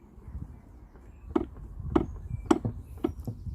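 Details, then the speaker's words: Seized Mariner 50hp outboard from a Yamaha 430 RIB, powerhead rocked by hand: dull irregular clunks after a few degrees of turn; owner suspects a dropped rod or big-end cap gone. "got pretty about a few degrees turn and it's clunking so what I can only assume is it's dropped a rod or begin caps gone and it's jammed up that's what it sounds like"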